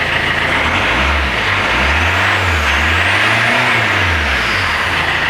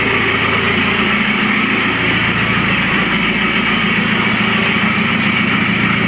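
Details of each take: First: Citroën C5 diesel after refitting the exhaust, with the silencer washed with water: throttle blips swell and settle evenly with no leaky exhaust chuff; the connections are sealed and it revs normally. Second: Citroën C5 diesel with the pollution light on, where the owner suspects a clogged DPF or catalyst, idling with the whole exhaust removed: a loud, raw idle with a harsh, raspy note and a steady beat, nothing muffling it.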